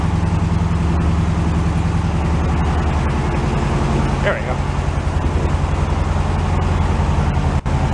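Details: Carbureted air-cooled flat-four VW bus stored in a shipping container, cold start. A steady low idle pulsing about three times a second with no misses or knocks. Normal idle.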